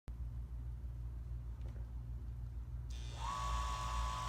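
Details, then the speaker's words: Chugger pump running normally: steady low motor hum, then hiss and a thin steady tone; a fan blade hitting the rear housing would instead make clicking. "now you can hear the chucker pump running this is normal"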